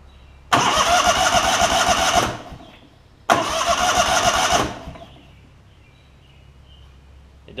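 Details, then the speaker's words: Lincoln Ranger 8 welder generator, Kohler CH20 V-twin, fuel pump doesn't seem to pump, fuel pump and lines to be replaced: two short cranking bursts under two seconds, engine spins freely but never fires; suspected failed fuel pump. "doesn't feel like it's pumping anything so I'm I'm willing to bet that I just need to go through the fuel system do the fuel pump at least and the fuel lines"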